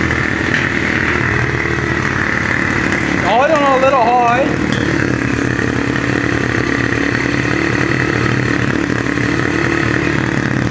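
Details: 2002 Yamaha TTR 125 after fresh gas and a carburetor clean of old-gas gunk: the single cylinder putters at a fast, steady, even idle, a touch higher than it should sit.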